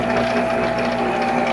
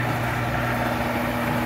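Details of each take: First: Monarch 10EE lathe during refurbishment, threading at slow speed: steady mechanical whir with a fixed tone, seemingly from the headstock area, still present, source not pinned down; gear train noise. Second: Monarch 10EE lathe after spindle drive and gear train work, at 500 rpm in threading mode: even, steady hum with constant low tones, no knocking or grinding; far quieter than before, slight residual noise of unknown source.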